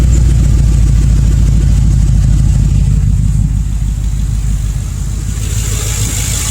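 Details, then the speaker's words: 1972 Ford F100 on a 2011 Crown Victoria frame and drivetrain, drive-by-wire, Spectre air filter; deep loud V8 burble under throttle easing off smoothly, mellow idle; loud exhaust but mechanically fine (owner notes a belt squeak at other times). "So it is loud. It is loud getting on it, but it actually has a very mellow idle."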